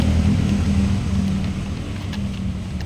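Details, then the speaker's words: Generator auto-started by an inverter signal when battery reaches 20%; starter cranks repeatedly with low uneven churning and rough pulsing as it struggles to catch — hard starting, cause unknown; then about 20 s warm-up before taking the lamp load. "Starter ini, starter terus starter, nyalalah genset. Kita nyalakan genset."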